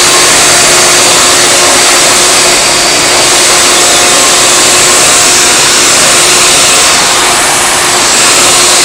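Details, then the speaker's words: Hoover Elite vacuum motor with brand new bearings, fitted to a Futura and run 10 minutes: steady loud high-pitched air rush with even motor hum, no rattle or bearing growl; healthy normal run. "I had the thing running for 10 minutes, seems to sound fine to me. Don't know why it would sound bad anyway, got brand new bearings in it."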